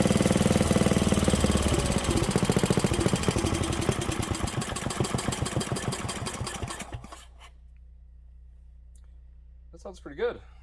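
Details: 1967 Briggs and Stratton 6 hp single-cylinder engine: a steady thumping beat that runs clean, then slows and quits after about seven seconds as the fuel runs out. Normal running.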